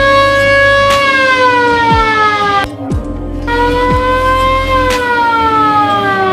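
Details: VW Kombi Bay Window ambulance with its original factory siren, run with the rotator lamp after the battery was fitted: a loud wail sweeps down, then rises and falls in even cycles, strong and clean; normal siren operation.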